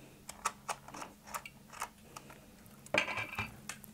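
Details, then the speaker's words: Soviet 1969 «Сигнал» pocket beta-gamma radiometer on the ×0.2 range, with a piezo speaker plugged into the headphone jack: sparse, irregular clicks, about two or three a second, at normal background radiation of roughly 15–20 µR/h. "Я подключу в гнездо для телефонов пьезодинамик, чтобы вам было слышно щелчки."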